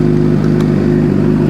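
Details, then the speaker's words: 2006 Suzuki GSX-R750 just after transmission replacement and motor reinstall, first start with oil still circulating, no FI codes. Smooth, even low idle drone with no knocks, misses or rattles: normal idle. "Key on. All right. Ah, sounds good. We'll let the oil circulate a little bit."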